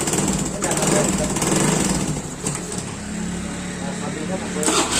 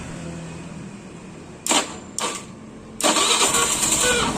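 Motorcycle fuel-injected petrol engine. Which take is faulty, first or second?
first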